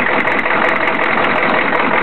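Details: 1993 Chevy diesel truck, just bought, idling roughly: diesel clatter with an uneven, shaky beat and the whole truck shaking, no smoke at idle, smoothing out above idle; blowby looks steady; running slightly better after an 85-mile drive, cause not found.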